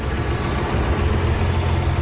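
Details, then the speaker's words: 1983 Ford F150 300 inline-six idling after the Carter YFA one-barrel carb rebuild, air cleaner off and old rancid fuel still in it: low, steady, even rumble with only a faint occasional sputter; running smoothly. Normal idle. "so that's rebuilding Carter one barrel on your Ford 300 they ain't that bad and when you get them going the right way they run really nice"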